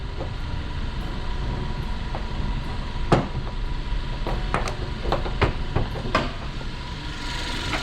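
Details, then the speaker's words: Used Hyundai Avante MD inspected before purchase, hood open in engine bay: smooth, even, quite quiet low idle hum with no knocks or ticks, just a few handling clicks; normal idle. "지금 엔진 소리 들리시나요? 상당히 조용하죠?"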